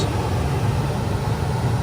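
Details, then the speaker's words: Gas furnace after the exhaust fan, igniter and flame sequence completes; steady low hum of the blower at slow heating speed, even and smooth with no rattle; normal blower operation. "okay now everything is normal the heat kick in first after this the fan and usually the fan is running slowly then cool cool in cooling is high speed"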